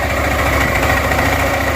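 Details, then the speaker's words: Suzuki Burgman 400 after the 3-pad to 5-pad clutch upgrade: a steady, even engine hum with no rattle or ringing from the clutch; much quieter, normal running. "Yeah, it's just a game changer. Game changer. So much quieter. Oh my gosh, does that function so much better."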